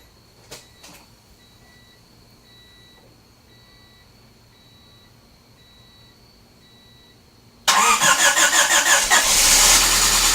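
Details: 1994 Honda Civic EX coupe (EJ1) D16Z6, first start after rebuild with remanufactured crank and .020 overbore: chime, quick crank, fires straight into loud fast even idle, no misses.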